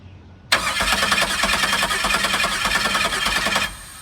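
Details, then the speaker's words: Camaro after starter installation, first crank attempt: starter spins the engine at a steady, even rhythm for about three seconds but it never catches; engine not locked up, fuel pressure uncertain and fuel pump not heard. Crank, no start. "Well, we know the car's cranking. The engine's definitely not locked up, but I don't know if I'm getting fuel pressure."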